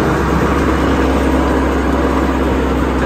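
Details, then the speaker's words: 1955 IH Farmall Cub under load after a transmission oil change: steady engine drone with a faint hydraulic hum. The earlier vibration from the torque tube is gone and it sounds normal. "it's gone now took it out and ran a snot out of it I changed the transmission oil if that's what solved it but it was sounding it was some vibration coming out of the torque tube and now there's nothing it just sounds normal"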